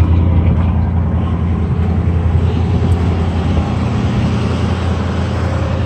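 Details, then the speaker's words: 1973 GMC motorhome with an Oldsmobile 455 V8, at cold idle after sitting a few weeks: steady, even burble with a faint exhaust hiss and no misses or stumbles. Normal idle; hardly an exhaust leak, no blue smoke. "Sounds like $1 million. Yeah, I know Oldsmobiles, and that sounds fantastic."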